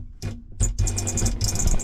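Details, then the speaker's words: Raytheon Type 1 ST6000 sailboat autopilot drive with its case removed: short bursts of whirring and rough grinding as the motor strains. Parts inside turn but the rudder does not; cause unknown. "oh wow stop oh interesting this part in here is it's turning like it's doing something but it's not able to turn the whole Rudder"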